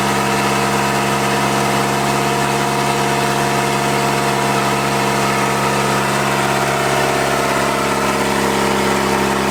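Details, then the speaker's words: Toyota 40 series LandCruiser B diesel engine idling on its first start after rebuild: steady, even clatter with no knocks or misfires, compression sounds good and it runs like an absolute peach; normal idle. "i'm mighty happy with how the compression sounds in this motor and how it runs it sounds like an absolute peach"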